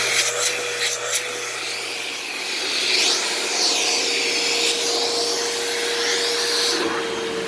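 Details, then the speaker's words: Eureka SmartVac 4870 upright vacuum, repaired from two broken machines, on high carpet setting: steady motor whine with even brush-roll whir, no grinding; motor has a long wind-down and belt slips slightly, likely needing replacement soon, otherwise normal. "motor has a bit of a long wind down but other than that it's it's all right"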